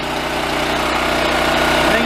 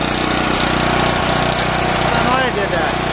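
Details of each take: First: Yamaha EF4600A generator left outside for years, after clearing a plugged fuel valve screen, running with airbox missing: steady, even hum with a slight pitch rise near the end, no misses or surging; running smoothly. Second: Yamaha EF4600A generator, left sitting outside for years, runs at a steady hum with an uneven, lumpy beat underneath; owner suspects fuel starvation.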